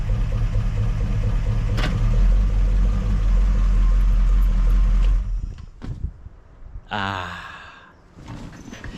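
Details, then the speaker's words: 283 V8 in a 1967 Chevelle with a mild performance cam, warning lights off; deep, slightly uneven low idle with steady rhythmic lope for about five seconds, then shut off; lumpier than the smooth, quiet original cam; normal. "you can feel this has a little cam cuz before this thing the idle was so smooth and the car was so quiet"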